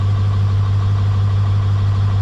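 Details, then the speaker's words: 1996 Ford F-250 with 7.3 diesel, 5-speed, Gear Vendors overdrive and 4x4 at 228k miles, a crashed truck started after the glow plugs cycle with fuel tanks nearly empty: steady, deep idle with no knocks or misses; sounds great. Normal idle. "Let's uh let's fire this thing up let the glow plugs do their thing"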